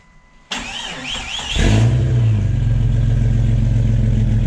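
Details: Jeep Cherokee one-ton swap build after new water pump and newly welded full exhaust: starter cranks briefly, engine catches with a quick rev, then settles into a steady even idle with no knocks or exhaust ticking; normal start and idle.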